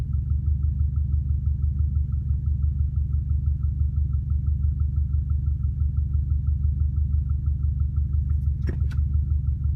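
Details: Warm 2004 Subaru WRX stage 2 at idle, 150 psi compression, 5-10% leakdown, no oil burning: light regular tick about two a second; suspected piston slap, actually exhaust leak at cracked up-pipe flange.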